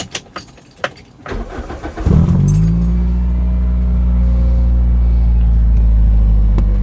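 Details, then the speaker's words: Toyota Celica after the exhaust joint leak was patched with welding and paste before its MOT: key clicks, then a smooth steady idle with no exhaust puffing; no leaks and the back box sounds fine. "Yeah, there's no leaks now, which is good. Um back box sounds all right."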